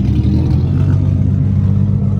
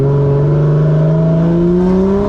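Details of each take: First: 1JZ-swapped Nissan 240SX S14 after changing spark plugs wetted by washing: a deep, even rumble with no stumbles, running smoothly for now, though it misfired again shortly after. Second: 1JZ-swapped Nissan 240SX S14 on track after spark plug change: rough, uneven revving with stumbling pulls as revs climb and fall; misfire returned.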